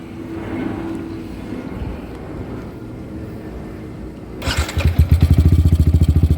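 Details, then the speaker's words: Yamaha R15 V3, 50,000 km and 5 years old, with a modified exhaust: after starting, steady thumping with a loose, buzzy rattle because the cut pipe's slip joint wobbles loosely; owner plans to tighten it. "ya Suaranya kayak gitu ada gemriciknya karena ternyata itu pipanya sambungan kayak pipa paralon ya"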